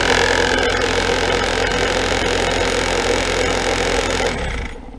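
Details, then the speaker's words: HVAC blower motor clamped in a vise with nuts zip-tied to the fan wheel: loud, fast shaking rattle over the motor hum before spin-down, vibration felt through the floor; severe blower wheel imbalance. "Holy smokes, this thing was shaking so bad, the camera was rocking around, the vise was shaking, I could feel the vibration in the concrete floor."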